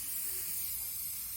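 A steady, bright hiss of water spraying from a pinhole in a pressurized hot water pipe.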